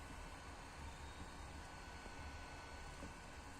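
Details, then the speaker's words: PlayStation 2 warming up on a very hot day: a soft, steady whir with a low hum underneath from the console's normal cooling fan spinning. "alguns Playstation 2 tem um sistema de ventilação entendeu E é por isso que às vezes acontece um barulhinho tipo girando"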